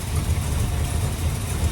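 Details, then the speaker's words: 1962 Chrysler New Yorker, V8, not fully warm, idling slightly better: low uneven idle dipping and stumbling, still sputtering; fuel filter clear, owner suspects carburetor and plans to pull it before engine gets hot, not confirmed. "Because she's just sputtering. And, I mean, even though she's idling a little bit better right now, she's still not fully warmed up yet."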